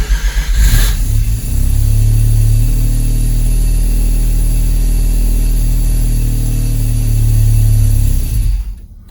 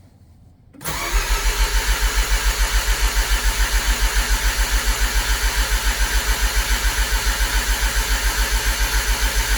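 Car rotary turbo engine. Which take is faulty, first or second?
first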